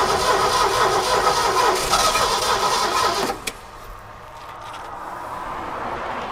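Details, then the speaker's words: Abandoned 1969 Ford F100 sat over 30 years: even starter cranking about 200 beats a minute for three seconds, never fires; distributor points not sparking consistently; points cleaned, coil to be replaced. "I don't think we're getting fire So on this distributor, the points inside there are not sparking consistently the way they need to be."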